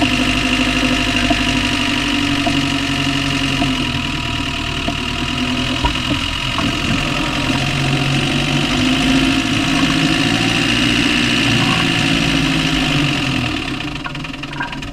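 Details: Land Rover Discovery 1 300Tdi diesel at idle: a steady, sharp knock about four times a second over the normal clatter. The source is unknown; engine knock at idle.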